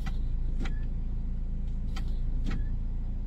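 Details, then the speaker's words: Ford EcoSport at steady idle: short hissing squeaks with each brake press and release, louder on one side, from dry, rusty drum brake contact points; fixable without a shop. "All right so itong issue natin is yung kapag ah nagbe-break ka yung may sumisipol lang yung May ganon parang may sumisitsit SAO"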